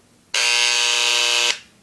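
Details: Dremel engraver, new, just plugged in and switched on; owner thought it was broken: loud, steady, high-pitched buzz for about a second with no change in pitch; normal reciprocating engraver buzz.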